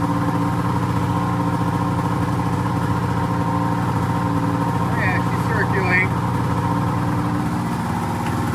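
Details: 2004 Polaris RMK 800 two-stroke snowmobile with full SOP exhaust; steady even idle, warm low burble, no misses or knocks. Sounds healthy.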